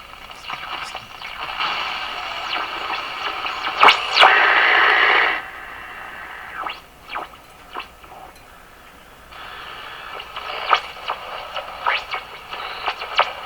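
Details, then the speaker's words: Westinghouse 535 radio after removing added phonograph wiring and resoldering connections: a rushing, wind-like hiss swells and fades with a heterodyne squeal on top. Spurious oscillation persists. "Still doing weird things. You can hear the windstorm building. And hear the heterodyne."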